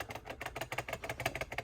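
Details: Kenworth truck dash AC vent with broken tabs: quick plastic clicks, about seven a second, as the louver is moved loose in its housing; fix is gluing the vents.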